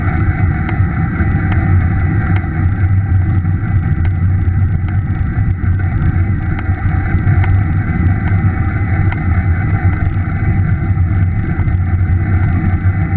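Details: Scott E-Aspect 910 e-bike with a Bosch mid-drive motor: sharp ticks roughly every second over the motor hum and wind rush, a tapping or popping noise the motor started making.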